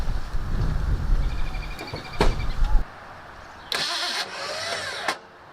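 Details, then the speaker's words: 1984 Ford Mustang GT350, brand new starter reassembled after being destroyed: labored uneven three-second cranking then short grinding burst, never catches; starter judged garbage, header and starter must come off. "Nope. Brand new starter's garbage. So that means that this header has to come off, that starter has to come off, it needs to be thrown in the fucking trash."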